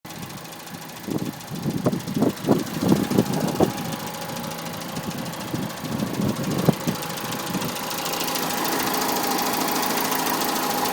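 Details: 2006 Citroën C2 VTS petrol engine idling: sharp, uneven, horrible tapping about three a second over a steady hum; cause unknown.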